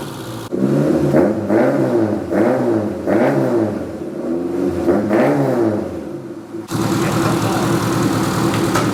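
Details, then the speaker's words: Engine catches and revs up and down in smooth, even swells with a crisp exhaust note, pulling cleanly; normal running and revving. "I am so getting nicked that sounds quality she's alive"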